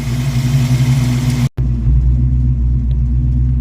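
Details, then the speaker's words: Ford 302 V8 Mustang with timing at about 16–18° and new plugs: deep, steady rumble at 950–1,000 rpm fast idle, no stumbles, smoothest idle in a long time; normal idle. "I normally prefer it 700 range but it's holding steady 950 to 1,000 this is probably the smoothest Idol it's had in a long time"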